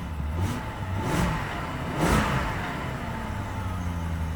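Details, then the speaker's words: Cheap V8 BMW, cold engine, owner thought he heard a slight tick: three revs that rise and settle cleanly with no ticking or knocking; healthy normal cold rev. "Maybe not. It sounds pretty clean. It sounds good."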